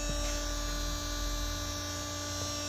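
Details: Ice maker restarted after disassembly, in clean cycle calling for auger motor: steady electric hum and light buzz, motor spins but auger doesn't move; gear teeth sound burned loose, stripped drive gears.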